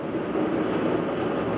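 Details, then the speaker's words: GE washer GTWN2800D1WW, about two years old, running a spin with no water. A constant deep freight-train rumble and roar even before full speed. A bad bearing is suspected: tub, transmission or motor bearing, not yet known. "so that's just the pump there's no water to pump out but so that's it just doing its balance spin hasn't even spun up yet it already sounds like a freight train"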